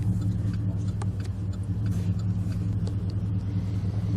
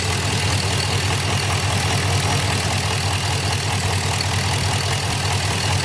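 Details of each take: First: 2006 Chevy Impala SS with the LS4 V8, warm (coolant 216°F), after spark plug service and clearing codes P0118, P0300 and P0307: a steady, even low rumble with no misses, knocks or ticks. It idles healthy. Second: 2006 Chevy Impala SS LS4 with codes P0118, P0300, P0307; steady idle with constant airy hiss over engine pulse, traced by ear to a leaking vacuum line.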